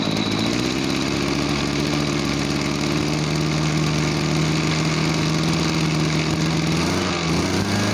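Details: Farm backpack sprayer small two-stroke engine, owner complained it bogged and lacked power when throttled; started on one pull. The buzz now picks up cleanly and holds an even pitch when throttled, no stumbling; normal throttle response.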